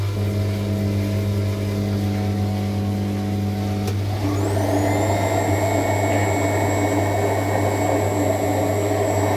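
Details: LUX front-load washer that wouldn't spin its drum on wash or spin cycle, retested after a 5 mm hex bolt was tightened on the belt drive: steady motor hum, then a whine climbs and levels as the drum spins up normally.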